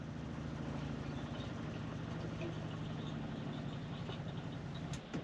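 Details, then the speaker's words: Motorhome fresh-water pump after its fitting was bedded down and refitted: an even hum for about five seconds, then a clean cut-out once pressure builds. Before the fix it kept sucking air from the fresh water tank and never stopped. "the pump stops. And the pump stopped where it wasn't stopping before."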